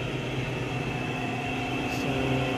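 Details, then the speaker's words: Automatic washing machine on spin dry: steady even hum of the drum at speed with no grinding or bearing rumble, quiet and normal; noise occurs in wash/reverse-forward, motor bearing suspected. "So ayan na nga mga kaik no pagka spin dry siya ay tahimik lang."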